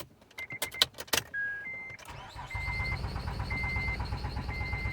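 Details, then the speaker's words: Acura TL (Honda) cranks steadily with aftermarket programmed key after a few clicks and chimes but never fires; security light flashing, anti-theft immobilizer rejecting the key; fuel pump heard. "but it wasn't starting i'm like oh my god so i'm doing the basics"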